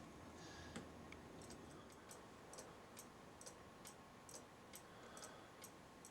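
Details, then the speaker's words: Old cuckoo clock after cleaning and oiling with light oil, previously running slow and stopping after a minute or two: soft crisp steady ticks, running on its own; movement now works properly. "as now you can hear it is going good now because you don't need to have the pendulum on there anymore because we got it oiled it's moving on its own"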